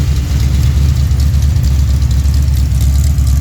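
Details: Freshly built Pontiac 428 V8, tri-power, mild cam like old GTO cams: steady idle about 900-950 rpm, gentle even lope, no misses or knocks; normal idle.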